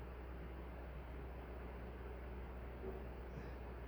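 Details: Nutone Proline PFC-48 48-inch commercial/industrial ceiling fan on high, tested with capacitor rig: quiet, steady low hum with soft rush of air, no ticking or wobble; running smoothly, measured about 8410 airflow.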